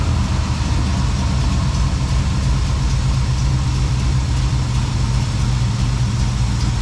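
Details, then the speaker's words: 1972 Plymouth Valiant 318 V8 after a Holley 600 four-barrel rebuild, no fan clutch: steady, deep, slightly loping idle; doesn't run horribly but far too rich, still getting way too much fuel at idle, so the rebuild went wrong somewhere. "doesn't run horrible but golly it's richer than donald trump"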